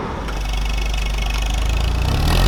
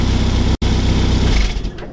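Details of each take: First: Classic Mini Mayfair with 2,000 miles, after a replacement standard exhaust was fitted and a slight front leak was nipped tighter: a steady, even idle burble, then a rev blip that settles back smoothly. It runs clean. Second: 1989 Classic Mini Mayfair with a genuine 2,000 miles, idling: a puffing chuff on each exhaust beat after the exhaust was refitted. It is blowing at the manifold-to-downpipe join, and covering the tailpipe by hand fails to build pressure.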